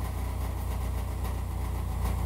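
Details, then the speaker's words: Chevrolet Equinox (GM) with seven-year-old exhaust at idle, before repair; loud, deep, raw unmuffled blat because the resonator muffler split its seam, leaking, later replaced with a small two-chamber muffler. "is what a seven-year-old gm muffler sounds like let's see if we can do better"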